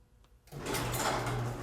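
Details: Garage door opener triggered by briefly touching its push-button bell wires together, simulating a Sonoff relay: silence, then the motor starts with a steady low hum and even drive noise, no grinding or straining; normal running.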